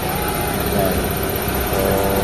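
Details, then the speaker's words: Lancer (itlog) revived after long storage, engine idling very quietly; no fan running without aircon, no noise at the aircon pulley, aircon working. Smooth, even idle hum, no squeal, chirp or bearing growl. Normal idle. "ito na yung makina niya mga boss. Napakatahimik na ng makina niya mga boss."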